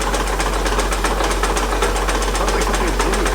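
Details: 2008 Acura TL 3.5 V6 idling: a heavy, steady knock about four times a second, traced to a broken crankshaft.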